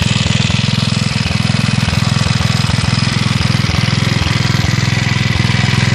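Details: Villiers Mk 12 stationary engine running on butane camping gas via a regulator: even, regular low single-cylinder thumping at a steady pace with no misses or knocks, running sweetly.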